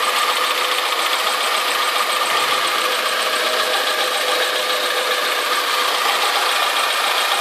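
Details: Alfa Romeo 156 2.0 T.Spark at idle after new exhaust manifold, metal gasket, manifold bracket and downpipe-to-cat bolts: quieter but a fine fast light ticking remains, less than before; source unclear.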